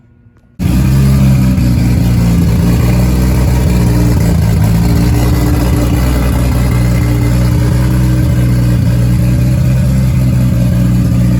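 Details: Nissan S14 240SX with freshly built 1.5JZ non-VVTi (272 cams, twin-scroll 6865 turbo, 2150cc injectors), first start after water neck and intake finished: catches at once, loud steady low idle, even pulse, no knocks or misses.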